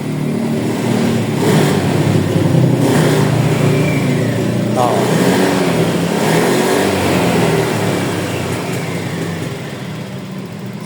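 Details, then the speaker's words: Honda Beat after fixing error 12 by replacing fuses: the engine catches and settles into an even, steady putter with light throttle blips, no misses or rattles; it runs fine. "So, nagkaroon ng supply. So, aandar na to. Ayan, umandar na."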